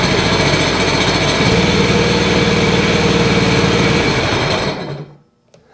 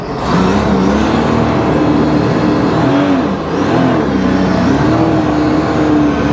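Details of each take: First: 2009 Sea-Doo Wake 215, 215 hp supercharged 4-TEC, with an overheating issue and an ignition coil 3 short-to-ground fault: lumpy, uneven beat at about four pulses a second during a cylinder 3 disable test, with no change heard. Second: 2009 Sea-Doo Wake 215, 215 hp supercharged 4-TEC, tested at the lake in neutral during an overheating diagnosis: starts well, with a strong, steady note rising and falling smoothly with throttle and no misses; overheating not reproduced, and weeds sucked up are suspected.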